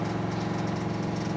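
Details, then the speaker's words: V8 road-trip car at idle after tapping worsened while driving near 2000 rpm: constant fast light tapping rattle on top, suspected valvetrain in the top end on one side; cause not confirmed. "all of a sudden it just started rattling tapping rattling tapping still leak I can hear it on your side behind me no it's rattling think we think we got a problem that's not good yeah think it's the valve train sounds in the top"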